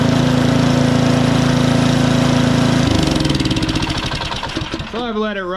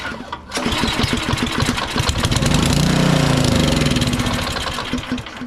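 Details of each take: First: Powersmart DB7651 24-inch snow blower with LCT engine after carburetor replacement for a no-start, still burning off excess fuel: a small single-cylinder engine at a steady, regular rapid beat; running properly again. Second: Powersmart 24-inch DB7651 snow blower with an LCT engine that won't start or stay running. On sprayed-in fuel it cranks, catches and runs roughly a few seconds, then fades, showing the carburetor isn't delivering fuel; the carburetor is to be replaced.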